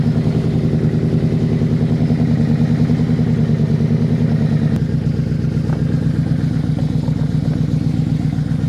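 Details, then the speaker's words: V4 motorcycle left sitting about a year, started with the choke out, in neutral, after the fuel pump cycled: a steady, even idle with a smooth low beat and no knocks, misses or hunting. Normal idle, running strong. "She's definitely gonna need a good detail cleaning up, which I'll do obviously, but yeah, she's running strong at least."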